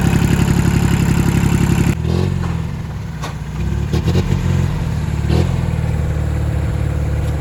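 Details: Engine running hot after a knocking-sound fix in which removed parts were put back. After a blip it settles into an even, steady low chug with no knock, and runs properly once warm.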